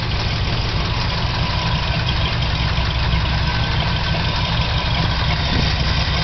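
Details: Chevy 396 V8 idling with a light, quick tick from the top end over the low rumble; noise started recently, valve adjustment did not cure it, source not pinned down.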